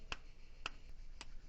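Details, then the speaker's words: Renault 4L, Cléon 1108 cc, engine off, ignition on, with electronic module replacing the condenser: three crisp, dry breaker-point clicks half a second apart with no arcing; point current 1 A instead of 3.3 A. "Vous voyez, on entend claquer. Par contre, il y a plus de béluge, il y a plus rien. Voilà pourquoi les rupteurs vont durer très longtemps."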